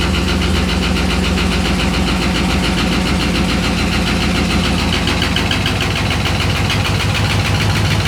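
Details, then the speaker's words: 6.0L LS-swapped S10 with fuel system clogged by rust from the gas tank: loud, uneven idle with a stumbling, irregular beat and chuffing exhaust; sticking injectors misfiring, though sounding a little better. "those injectors were sticking pretty bad but it sounds a little bit better"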